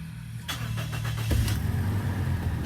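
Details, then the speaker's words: Automatic car with delayed engagement into D when cold, right after adding transmission additive: brief cranking then clean catch into steady low idle; normal start. "kita hidupkan mesinnya biar ngeblend ya guys ya, cairannya biar ngeblend bersama oli maticnya."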